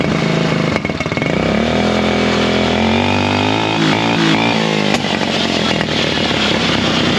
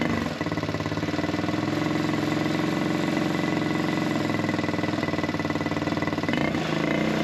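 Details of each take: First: Buggy single-cylinder after air-filter foam work on the carburettor setup. It picks up cleanly through a rev and settles back without popping or backfiring, pulling its revs freely. Normal revving. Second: Buggy single-cylinder with a carburettor air-setting problem, after the water-soaked air filter was dried and refitted. A fairly steady thump briefly sags and stumbles as the revs dip. Misfiring and cutting out; carb air adjustment is suspected.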